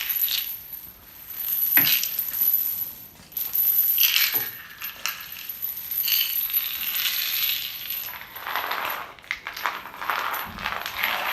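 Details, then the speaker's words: Chain dragged over hospital storage-room floor tiles before epoxy overcoating: solid areas versus louder, hollow jangling over intact-looking patches, revealing drummy tiles over more than 10% of the floor; full tile removal recommended. "there's areas that sound solid and then there's areas that even though they actually look sealed as other tiles are intact you can hear that it's hollow"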